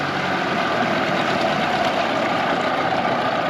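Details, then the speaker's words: 2004 Tohatsu 9.8 two-stroke long-shaft outboard after rebuild, back to idle after a top-end run: steady, even buzzing idle with no surging, misses or stalling; idling healthily. "Let's see what it can do at the top end speed and let's see how it runs. And you come back to idle, and the motor should not stall."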